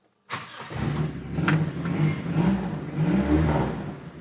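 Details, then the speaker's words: Feroza carburetted engine, complaint of high fuel consumption: catches cleanly and runs smoothly from idle through low revs, but the idle sits a touch fast; idle speed set slightly too high. "secara umum untuk putaran mesin terdengar enak dari putaran bawah dari stasioner juga enak cuma kebesaran dikit kegedean untuk stasionernya"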